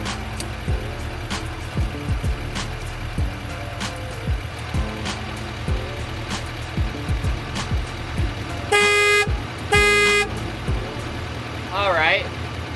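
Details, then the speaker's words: Truck that won't start: two long, steady warning tones about a second apart over quiet street noise, and it only clicks repeatedly when starting is tried; cause not clear. "you heard, this bad boy beeped a whole lot. I tried to start it and it just kind of clicked clicked clicked."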